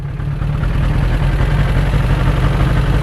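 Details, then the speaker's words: 1992 Suzuki Katana 750 GSX750F, a customer bike not run in a while, idling after a test ride; a low, steady four-cylinder burble with even pulses and no misses, clatter or knocking. "I'm confident in that short little video this bike definitely has things that need done but for today she's in good shape"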